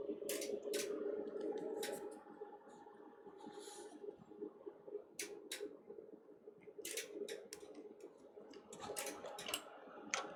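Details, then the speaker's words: Fluke 5700A calibrator running its self-test: sharp, irregular relay clicks in small bursts over a faint fan hum; normal relay switching. "can you hear the the relays clicking I started the self test on the calibrator because I had some issues with it"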